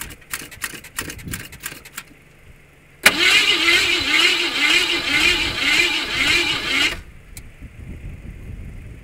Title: Car wont start. Whats wrong with it?